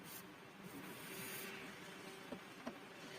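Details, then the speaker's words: Intel CPU fan, newly soldered to an old router power adapter, running with a quiet, even airy whirr and soft buzz and no rattle or ticking; it spins smoothly and sounds healthy. "Fan is running. I turned off my room's fan so that you can hear the wonderful voice of Intel fourth generation uh fan."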